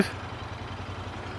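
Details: Royal Enfield Interceptor 650 on its first ride in hot weather, with a fresh full tank of petrol and unknown time stood unused: an even, steady low thrum at tickover with no knocks or misses. The twin is idling smoothly.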